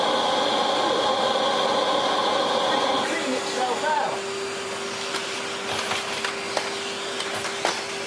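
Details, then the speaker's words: Hitachi Powerhouse CV-460D upright vacuum, circa late 1980s–early 1990s, brush roll removed, motor run alone: smooth clean steady whine, quiet coast-down with no grinding; healthy motor, wind-down slightly dry. "What we could do now is reconnect our power supply and just see how beautiful the motor itself sounds."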